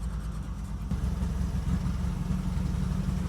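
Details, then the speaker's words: 1979 Jeep CJ-5, revived after 29 years, on its first drive slowing for a stop sign: a low, lumpy rumble with uneven, stumbling firing that nearly stalls, then slowly smooths out. It is rough running near stall. "Sounds horrendous. That's good. Sounds absolutely horrendous. And we're stalling."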